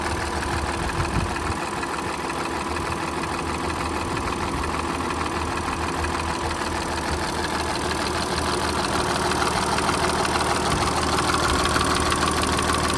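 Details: Audi A7, left side of engine: steady idle with a fairly regular light tick, about three per second. Owner asks whether it is timing chain noise or something else.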